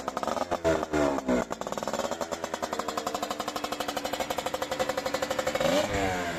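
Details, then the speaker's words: CanAm Rotax 125 two-stroke on its first test run with a replacement engine, overhauled carburetor, new right-side exhaust header and separate oil lubrication: sharp blips, then a crisp ringing idle around three pulses a second; the fresh engine runs properly, minor tuning still needed. "So wie ihr gesehen habt, gibt schon wieder Lebenszeichen von sich."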